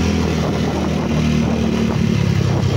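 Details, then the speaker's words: Yamaha Mio scooter (liquid-cooled, 4-valve, owner says 232cc) after a full reset/refresh, exhaust's missing screw replaced: engine runs steady and even with no knocking or rattle over the exhaust note. No smoke, no noise; normal running. "Ayos na, wala na rin usok. Wala rin yung ingay."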